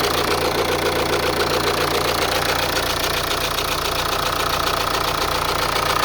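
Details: Opel Insignia B B20DTH diesel idling at cold start, with a fast, fairly even rattle at about four per second over the diesel clatter. Owner questions whether the timing chain or belt is the cause: rattle of unknown cause.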